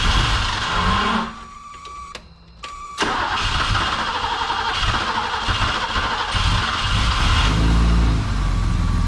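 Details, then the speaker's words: Old BMW E12 after fuel tank cleaning and a torn fuel hose replaced: with a totally dry fuel system the starter churns, pauses, then the engine catches and settles into a steady rumbling idle; fuel pressure afterwards is 30. "uh i know everything's working because the lines were full of gas so clearly it was pumping but totally dry system so it'll take a while to kick on"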